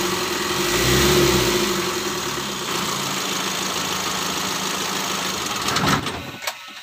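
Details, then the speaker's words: Mitsubishi L300 diesel after engine rebuild, previously blowing by with a rough tak-tak knock blamed on the number 3 connecting rod: settles to an even idle and revs cleanly with no knock or smoke, then shuts off; normal running. "untuk hidupnya sudah enak temen-temen yah jadi disini pekerjaan pada perakitan mesin mobil L300 Alhamdulillah sudah hidup mobilnya ya"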